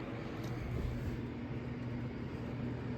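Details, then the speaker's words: Steady, even low hum of a Williams Forsaire wall furnace blower running at full speed, blowing plenty of air and heat, with no rubbing or wobble; the blower motor now works normally. "now this fan is still running you can hear it's real nice and blowing a whole lot of air"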